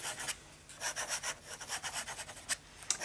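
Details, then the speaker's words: Inexpensive fountain pen with a scratchy nib being smoothed on micromesh: short, dry, gritty rasping strokes as the nib drags across the paper. The diagonal upstrokes that cut into the paper are improved, but the nib tip is still rough. "And right now, these upstrokes, which are extremely scratchy and they cut into the paper, are a lot better."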